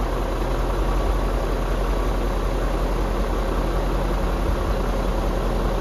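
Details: BMW E39 M5 S62B50 V8 first start after timing chain tensioner replacement, past the normal 1-2 second rattle while tensioner fills with oil: smooth low even burble at idle, no chain rattle or ticking; quiet and settled.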